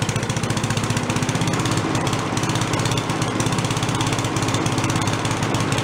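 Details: Late-70s/early-80s Giant Vac walk-behind leaf blower from a garage sale, primed and running: bright steady high-revving two-stroke buzz at full throttle, no stumbling; carb has no idle circuit, so no idle.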